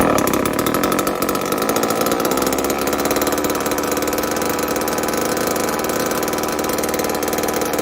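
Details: Old Homelite chainsaw, thought 1960s or 70s, just revived, choke off: buzzy two-stroke holds steady even run without dying or surging, maybe slightly rich; running, owner says it could be tuned better.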